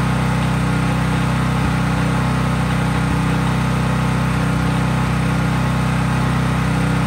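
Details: Craftsman 5000 W generator at full speed with no load: steady, even drone at constant high speed, no hunting or knocks; normal no-load running.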